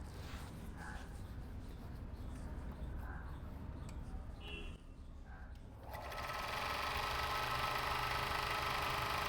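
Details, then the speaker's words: Overlock machine after repair of needle bar/looper touching fault that caused khat-khat knocking: after a quiet start it spins up to a steady, even whir with no knocking; now runs smooth and quiet. "सच में machine में सच में machine की आवाज में इतना फर्क पड़ गया है। मैंने सोचा नहीं था। उससे अच्छा रिजल्ट मिला है।"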